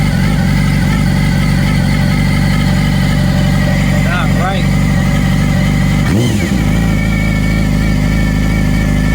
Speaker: okay i did a valve adjustment on this 2016 yamaha r6 and upon reinstalling all parts i have developed some sort of whirring noise from the right side where the cam the cam chain is at